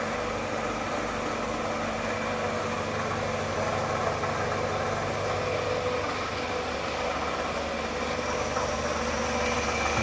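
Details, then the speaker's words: Circa-2005 Toyota Camry (2AZ engine) petrol idling: steady rough growl or snore under the engine note from inside the engine, traced with a stethoscope to a worn water pump, to be replaced. "Jadi agak menimbulkan suara yang ngorok"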